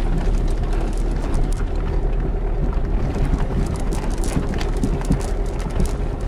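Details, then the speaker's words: Diesel car that hit something high underneath: steady rumble with dull irregular knocks from underneath as engine rocks, gear lever moving; broken rear engine/gearbox mount. "معناتها فم سيبور او فم حاجه صارت في كرهبه ملوطه هي اللي خلتها تعمل الديفو هذاك وتعمل الحس هذاك والحركه هذ تعملها شفتوها هذ علامه ان فم سيبور منطه في حجه مكسره"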